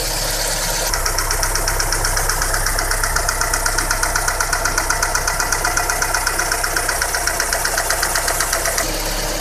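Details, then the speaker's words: Daewoo Nexia GM 8-valve petrol engine after repair idling evenly with only timing belt sound, light whine and injector ticking; the rare knock is gone after replacing worn rocker arms and dressing the camshaft. "Слышно только работу ремня ГРМ, легкое подвывание и форсуночки. Стука нет."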